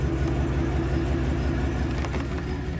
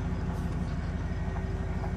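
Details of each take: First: 2500 Silverado 8.1L Vortec V8 with Allison transmission, idling in gear: deep, uneven, lumpy beat as a cylinder drops out, very bad in reverse; low-rpm misfire under load, later repaired with coils, plugs and wires. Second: 2500 Silverado 8.1 L Vortec V8 with Allison transmission, towing a boat and lugging at low speed after replacing spark plugs, coils and wires: smooth, even pull with no hesitation or dropped cylinder; misfire fixed.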